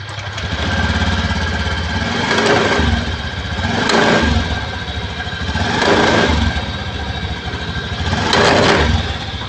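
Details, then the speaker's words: Honda Vario 110 eSP scooter revved in short bursts: a rough shuddering judder from the CVT as the clutch grabs, caused by clutch shoe linings worn completely away. "Jadi keluarnya pada bagian CVT-nya itu gredeg parah ya."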